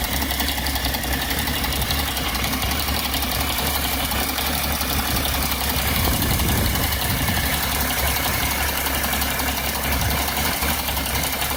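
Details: BMW E60 after vacuum pump replacement: idle randomly turns rough with a pulsing beat and rpm wandering up and down. Cause unconfirmed; vacuum pump is the suspect. Rough idle with hunting rpm.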